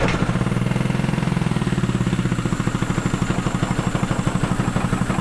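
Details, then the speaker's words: Firman 3200W (WH03242) inverter generator under a year old, running rough with no power output: uneven, choked chugging with hissing at the exhaust, restricted by a heavily blocked spark arrestor. "So, it sounds like this exhaust is restricted cuz it was hissing like"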